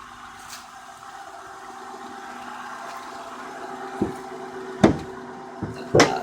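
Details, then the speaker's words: 2000 Honda Odyssey at 193,823 miles, totaled, started after sitting about a week: a quiet, even idle with a steady low hum and no misses. The sharp knocks are handling noise and there is no tailpipe smoke. Normal idle. "let's see I'll take a walk around and let you see the engine hear the engine run there's the tailpipe no smoke coming from"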